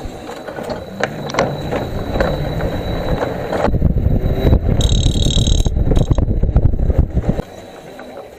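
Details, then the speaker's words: Electric scooter motor spinning unloaded: an uneven knocking about three times per second from the hub; the freewheel was suspected first, but the noise persisted with it removed and is the loose motor cover. "那个异响声特别像这个敲电机的声音。就是这个电机盖的声音，就是它。"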